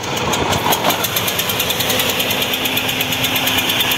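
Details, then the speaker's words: Ford Zetec Rocam 1.6 8V that overheated after a burst hose: unstable, pulsing idle sounding like two or three cylinders, harsh metallic clatter inside the engine when revved, little power, stalls on acceleration. "y acelerándolo un poco Suena algo metálico dentro del motor y ahora quiero que veamos el escape como suena suena el motor como a tres cilindros o dos cilindros bueno la cosa es que el motor está inestable y tiene poca fuerza"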